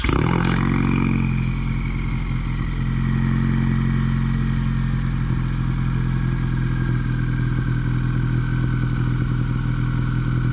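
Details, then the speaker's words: Ford Mustang EcoBoost, exhaust recorded at idle in cold weather: uneven lumpy idle with stumbling beats and sharp pops, a low-RPM misfire. Accel spark plugs were believed the culprit; factory plugs fixed it. "So you can easily hear the misfire. Obviously it don't matter which side you're going in, it'll come from the same part of the engine."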